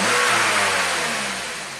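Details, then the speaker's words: 2004 Saab 9-3, 175,000 miles, after steering lock bypass and "ECU not programmed" message: engine fires right up, brief rev settling smoothly with no misses or knocks; starts and runs fine. "okay fired right up he's not happy with something there guess we'll get the tech 2 out scan it for codes I mean starts and"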